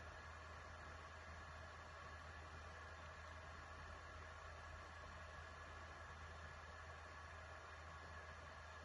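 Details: PS4 Pro after thermal paste change, which had made it sound like a jet engine; probe at the hot-air exhaust, fan on left side, console at power-on before running Horizon Zero Dawn: low even hum, soft steady airflow, no whine; normal cooling fan noise.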